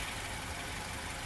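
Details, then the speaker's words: 2021 Maruti Suzuki Swift Dzire Tour CNG taxi idling on CNG after switching from petrol (blue CNG light on): even, steady idle hum with no knocks, surges or vibration; smooth, normal idle. "So engine sound అయితే చూడండి so smooth గా engine కూడా ఎక్కడ vibration లేదు చూసారా engine అయితే ఎక్కడ vibration ఉండదు సౌండ్ వస్తుంది వినిపిస్తుందా సౌండ్ అయితే స్మూత్ గా ఉంది."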